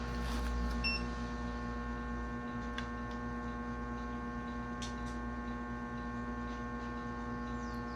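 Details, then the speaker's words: Restored 1937 RCA Victor 85T1 tube radio on a variac at 105 V: a steady low mains hum and buzz from the speaker. Suspected to be the preamplifier or the audio output stage, not confirmed. "nós temos um problema no áudio esse problema Esse ruído que tá sendo gerado pode ser um problema relacionado ao pré-amplificador ou pode ser relacionado à saída de áudio"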